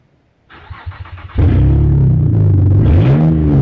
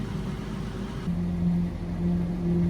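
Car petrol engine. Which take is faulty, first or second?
first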